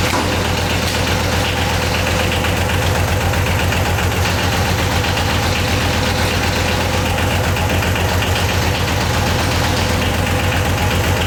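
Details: Yanmar YM276 diesel tractor after clutch replacement and pilot bushing removal: even clatter holding a steady beat, about four a second, with no misses or odd knocks; running healthy.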